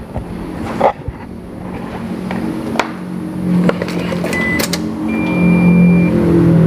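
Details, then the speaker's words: Toyota Innova petrol, first start after battery replacement: brisk cranking catches within seconds and settles into a smooth, steady idle with no stumbling; healthy start. "Sekarang waktunya kita starter mobil."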